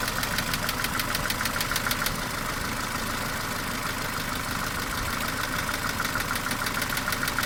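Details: Mercedes A-Class W168, 1.6 L petrol, automatic, 18 years old, about 150,000 km: sharp regular clacking at about two per second over the idle, louder than normal valve ticking; cause unclear.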